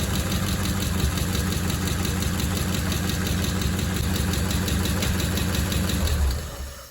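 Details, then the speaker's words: Hot rod with its original engine just refitted and exhaust on, at idle: steady even low rumble with a faint lifter tick expected to clear up; runs very smooth. "Apart from a noisy lifter, which will probably clear up, that sounds incredible. So smooth. You can't beat the smoothness of one of these engines. They're ridiculously smooth."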